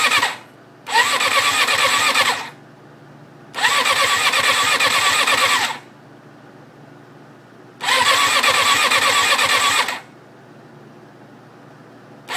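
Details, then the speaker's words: 1994 Suzuki RF600 after engine rebuild, fed from an external fuel reservoir, clutch in: three brisk cranking bursts with no firing; has spark and draws fuel, pump works, owner unsure of cause, possibly a rebuild error. "it sounds like it's not getting gas but it's clearly sucking up gas um i just don't know what exactly is going on it sparks"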